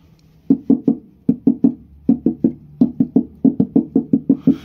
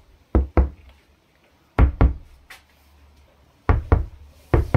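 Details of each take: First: Dacia Spring floor panel at the footwells, bare sheet metal before applying vibro damping layer: sharp knocks in groups of three and four ring hollow and tinny. Hollow undamped floor panel resonance. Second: Dacia Spring roof panel after vibro damping, refitted headliner: tapping gives dull, short thuds with no ringing or tinny rattle; sheet metal still moves slightly near the recess but no longer vibrates or sounds hollow. Well-damped roof.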